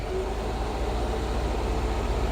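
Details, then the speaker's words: 1964 Ford F100, 302 5.0 roller-cam V8, AFR 165 heads, Summit 500 CFM carb, stock headers, new Pertronix distributor with vacuum advance, driving at light throttle around 2000 rpm pulling 23 in vacuum: smooth even burble, no misfire, hesitation or knock; healthy. "we're going to be absurdly high now a little bit of throttle now the vacuum advance is kicking in we're sitting here at 23 2000 rpms we're pulling 23 inches of vacuum"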